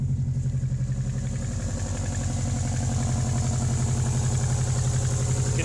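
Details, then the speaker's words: Subaru WRX after a cold start in deep snow, idling: sharp regular puffing tick about three a second on the exhaust note; exhaust leak up front, unsure whether before or after the turbo, owner hopes after. "the exhaust leak up front there [Music] yeah who knows if it's just before just after the turbo hopefully just after"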